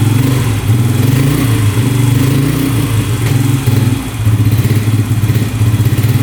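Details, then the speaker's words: 2011 Yamaha Raptor 125 quad: the single cylinder thumps unevenly, surging and sagging, running better on choke but not idling; turning the choke off makes it drop out. "Seems like with the choke on, it's running a lot better. It's a lot better with the choke on, but it's not idling."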